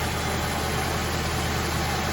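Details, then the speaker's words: 1977 Winnebago, abandoned 20 years, V8 idling on 7 cylinders; infrared thermometer on exhaust manifolds finds one cold cylinder; steady idle with faint uneven beat, one cylinder not pulling; dead cylinder misfiring at idle. "so we do have a colder cylinder over there let's start checking this side"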